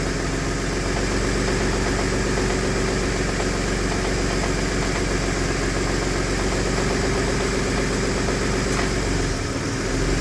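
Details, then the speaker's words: Jaguar AJ30 V6 with Arduino-controlled VVT and IMT: faint fast light tapping at idle from the cam actuator area, not a deep knock; cam B unsteady even after swapping VVT actuators, and a VVT reset clears it. Owner suspects the oil-powered hydraulic system pumping up. "So, I've switched over the VVT actuators, and it's still doing this even at idle, whereas cam A rock solid. Anyway, let's pull up the Actually, there may be a thing. You hear this slight tapping noise?"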